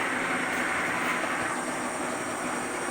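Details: 1940s horizontal milling machine driven by a treadmill motor on about 150 V DC from a modified microwave transformer with rectifier and capacitor; even mechanical whir with thin high whine, no knocks or grinding, with power table feed engaged.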